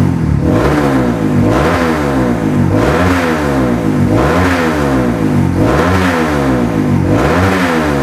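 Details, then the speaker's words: Modified Honda CRF150L bored-up engine with forged piston, reamed throttle body, TPS, cam, valves and springs, full gear ratio change: crisp repeated blips, pitch rising and falling cleanly without rattles; normal revving. "yang kalian bisa dengerin mesinnya nih mesinnya kem yang kita modifikasi semuanya halus normal dan Mantap ya"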